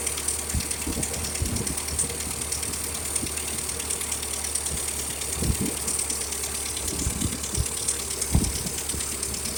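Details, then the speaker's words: 1956 Ferguson TO-35 tractor after carburetor replacement and new governor linkage; steady chugging idle with a sharp puffing tick on each firing beat from a heavy exhaust leak. "got a couple more things on it's got an exhaust leak over here pretty heavy duty"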